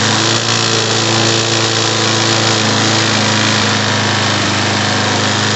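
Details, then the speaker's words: Snapper SE self-propelled mower, model 7800831, with a Briggs & Stratton 725EX engine, at fast idle while the throttle is adjusted; loud, rough buzzing with a coarse shaking rattle from an unbalanced blade vibrating the deck, in for repair. "all right so this thing's got an inbuilt uh uh unbalanced blade that's why it's vibrating like that so this thing's here for repair"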